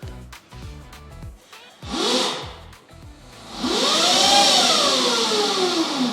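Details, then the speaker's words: Symbyote 12FET motor controller on an e-bike in sport mode (two beeps, current up to about 200 A): a smooth electric whine rises then falls with speed under hard throttle, with no stutter or cutting out. "Another mode is the sport mode. You will hear two beeps, and now the power will go quite up, like up to 200 amps."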